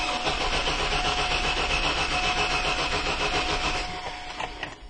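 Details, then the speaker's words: 2002 GMC Jimmy cranking with a spark checker at the coil: steady rhythmic cranking at about four beats a second that never catches. The check confirms no spark, or intermittent no spark, traced to an open crank sensor reference wire. "we now have our Direction now I can do my visual inspection we know that we have a no spark or at least an intermittent no spark problem possibly"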